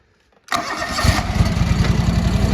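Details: Brief crank, then the John Deere 445 engine catches at once into an even steady putter after a crank no-start; clean healthy start.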